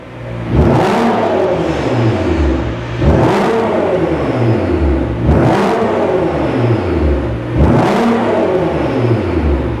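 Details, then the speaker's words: Nissan GTR R35 after a new turbo-back exhaust with 3-inch downpipes and bullet boxes: four clean throttle blips, revs rising and falling smoothly with no misfire or rattle; sounds great. "But yeah, so there's a spec, there's a look, it sounds amazing, guys."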